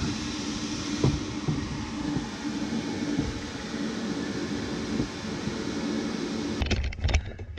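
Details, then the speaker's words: Rinnai tankless water heater after fixing the blower, which had been rumbling loudly and throwing error code 10: a steady even whoosh and low hum with no rubbing. Noise and code are gone, confirming the worn blower bearing was the problem. "ya hear how quiet that is now you could tell the difference from before it was rumbling and really loud"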